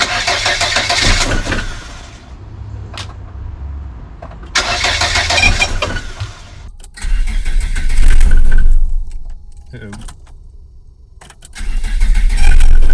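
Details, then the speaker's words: Volvo 480 2.0 after timing belt replacement and valve adjustment: starter spins in several long bursts about four turns a second but never fires; crank, no start, cause still unknown. "Well, that didn't work at all."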